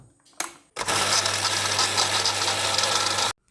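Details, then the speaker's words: Borewell water pump motor that drew high amps and pumped no water, possibly jammed by small stone bits, freed by turning with pliers. On switch-on it runs with an even buzz and steady hiss, no grinding. Working normally. "Motor on ചെയ്തു നോക്കിയ സമയത്ത് motor നല്ല രീതിയിൽ work ചെയ്യുന്നുണ്ട്"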